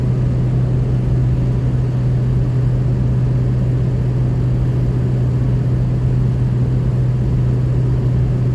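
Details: 2003 Ford F350 6.0 Powerstroke diesel after replacing the left-hand Y-pipe-to-turbo V-clamp, with aftermarket VGT turbo, exhaust manifold and 4-inch exhaust with muffler: steady, deep drone with no puffing or ticking; exhaust leak fixed.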